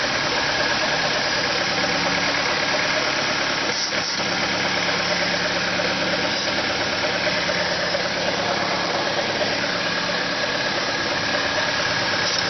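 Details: Car engine holding an even, constant raised idle with no drop; it revs up at cold start and in P or N until shut off, fighting the brakes. Owner suspects a vacuum leak; carb cleaner spray test found none.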